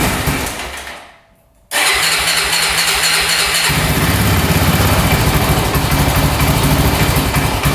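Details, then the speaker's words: 2004 Honda 400EX quad after carb clean and valve adjustment, started on choke: single-cylinder engine struggles to start, then catches into a choked, uneven run; it won't rev off choke and dies; hard starting. "So, right off the bat, it has trouble starting. So, that's not good. Seems to be idling okay with the choke on right now."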